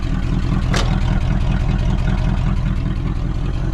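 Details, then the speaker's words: 1979 Chevy Suburban small-block 400 V8, long-sitting, push-button started: deep, uneven loping idle with loud exhaust, no knock; runs rough, owner suspects it needs plugs, plug wires and a carburetor rebuild. "does not sound the best but no major uh knocking or anything like that so she might be all right with a tune-up probably definitely needs plug wires plugs carburetor gone through for sure"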